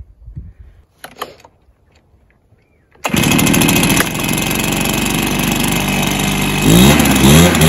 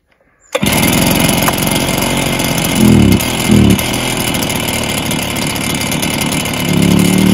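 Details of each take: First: Stihl BR430 backpack blower that had been bogging, after adjusting the carburetor high and low screws: a quiet start, then a steady, even two-stroke buzz that climbs cleanly when revved. Normal running and revving, fixed. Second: Stihl BR430 backpack blower: it fires and idles, but each throttle blip swells briefly then sags; it bogs when revved and clears with some choke; carb issue suspected, possible piston damage not ruled out.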